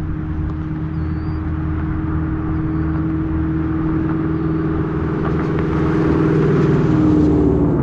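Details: Ford Mustang with Coyote V8 after new exhaust and Y-pipe install fixing a months-long rattle (traced to a fender bolt), recorded from outside: deep steady drone building gently with revs, no rattles or buzzes; healthy exhaust.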